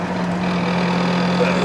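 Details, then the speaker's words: Lamborghini Countach QV while driving: steady fixed-pitch singing whine over drive noise, present since ownership and getting worse; gearbox later stripped to find the fault. "oh gosh that noise oh that's always had that noise that singing that fer sing yeah that one that beened since I've owned it right they getting worse"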